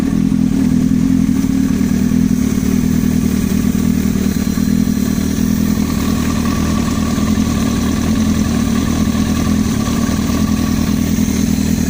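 Sport bike engine running with a rapid metallic clatter riding over the exhaust note, an internal knock of unknown origin.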